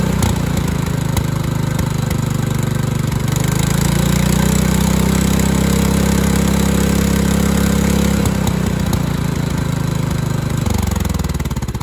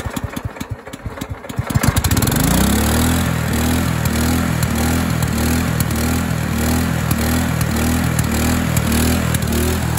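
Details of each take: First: Craftsman LT2000 Kohler Command single-cylinder engine after governor arm adjustment: holds a fairly even speed, rising briefly then steadying before shutdown; governor now controls speed, carburetor still needs adjusting. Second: Craftsman LT2000 lawn tractor with Kohler Command engine, used carburetor fitted: starts after a couple of cranks, then races at a fast, steady drone that never drops back; engine overspeed, governor arm not yet adjusted.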